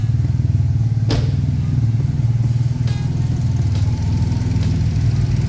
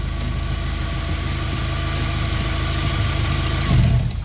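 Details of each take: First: Turbo Honda, cold and below operating temperature, owner suspects a short in the MAP sensor wiring that causes occasional misses: steady, even cold idle with a smooth low hum and no misses at this moment. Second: Turbo Honda, not yet at operating temperature, idling smoothly until a wire is touched: the even idle briefly falters with a short uneven patch; owner suspects a short in the MAP sensor wiring, not confirmed.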